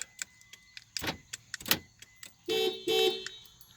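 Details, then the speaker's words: 2016 Subaru Forester 2.5i Premium with a no-crank, no-start, limited-power fault (windows and 12V socket dead): light key-fob clicks, then two clean horn chirps as the remote locks the car, a normal lock and horn response. "and that works i can lock it"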